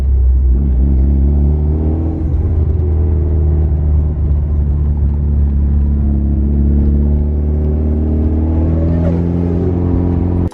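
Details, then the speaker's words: Mitsubishi Evo under way: deep engine rumble under a terrible droning, metal-on-metal whine that rises and falls with revs; the owner suspects turbo failure, not yet confirmed by teardown. "like metal on metal sound I just didn't want to dry this sound was seriously like nails on chalkboard"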